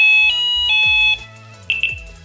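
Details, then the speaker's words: Delkim TX-i Plus bite alarm with RX Pro Plus receiver after vibration mode is switched off: clean high bleeps near 3 kHz in short bursts and two chirps, sounding without vibration. "Habéis dado cuenta que ahora no ha vibrado, ¿vale? Si yo activo cualquier alarma, se escucha, pero no vibra, ¿vale?"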